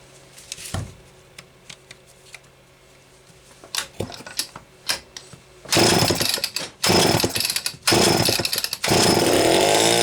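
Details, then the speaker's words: Homelite XL-12 chainsaw, which a shop blamed on low compression (90 psi), on a test run: it fires in rough bursts and cuts out under throttle instead of holding revs, despite great spark, an ignition misfire. "that's not carburetor related that's ignition related I can tell you that right now"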